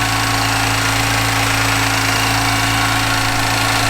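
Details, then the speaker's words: 2011 Chevy Camaro 3.6L LLT V6, 128,000 miles, first start after timing chain replacement: steady even idle with a faint light tick, believed to be the DI fuel pump pressure release; no knocking or rattle. "Oh, that sounds good. That sounds very good. I think we won."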